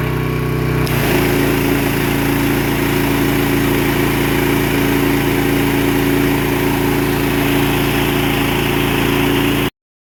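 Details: Pressure washer small engine with white oil (water leaking into the crankcase suspected), pressure increased while running. A steady, even drone with constant pitch and no stumbling; it holds pump pressure without bogging.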